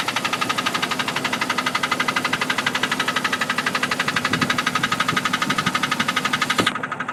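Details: 1999 Jeep Cherokee 4.0 automatic: fast steady ticking, about four per second, over a smooth petrol idle; loudest after a cold start, quiets after a few miles; mechanic's stethoscope suggests not valve or lifter, owner suspects cracked flex plate; cause unknown.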